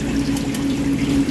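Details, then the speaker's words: Budget replacement ice machine head (swapped for condemned Manitowoc, remote condenser) in make cycle: steady low hum with water rushing and trickling evenly as the inlet solenoid valve opens to refill, normal filling. "And then it monitors the water level and just opens and closes the"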